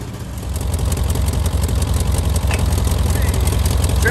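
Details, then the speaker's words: 1985 VW Vanagon Westfalia Weekender parked about 20 years, throttle spring off, running on gasoline, smoking: low, steady, slightly lumpy putter at idle but holding speed on its own; normal idle. "okay throttle spring is off it's a lie progress all right crank it up that's running on gasoline it's idling"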